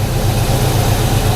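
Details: 1991 Ford Foxbody Mustang 5.0 LX V8 ("Red Chief"), cold start in the 30s °F after winter storage since October with a dead battery swapped out; deep, steady low burble, even beat, no knocks or misses, healthy smooth idle while warming up.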